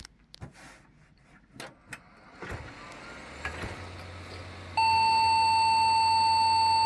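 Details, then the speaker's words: Local custom Pentium 3 cartridge PC, after reseating the CPU and RAM and swapping in another stick of RAM: a few clicks and fan spin-up, then one long continuous POST beep; memory issue suspected. "success we get a beep code all right so we for sure get at least the beep code back"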